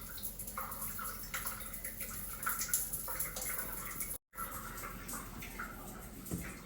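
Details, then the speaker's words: Shower head in the primary bathroom with its valve off while the hot water runs in the guest bathroom: a steady hiss and patter of water into the tray with occasional drips. This is unwanted crossover flow with the cause unknown. "Now let's go back into the primary. I can already hear it. You see the valve still off. And we have water flow."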